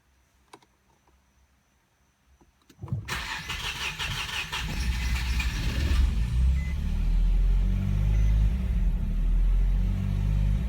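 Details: Infiniti G35 with a P0345 code: starter churns steadily for about three seconds before the engine catches and settles into idle, a hard start; cause not confirmed.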